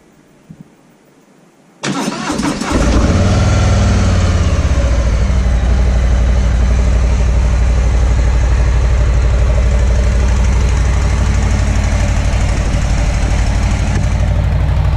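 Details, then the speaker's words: 2018 Harley-Davidson FXLR Low Rider V-twin start on factory mufflers, with a beep as the factory alarm deactivates: starter catches quickly, settles to a steady even low idle, very subdued exhaust that doesn't sound like a true Harley; healthy start. "So as you see, that's the factory mufflers on it. Very subdued in the sound. It's the only real letdown, really. It doesn't sound like a true Harley, in my opinion."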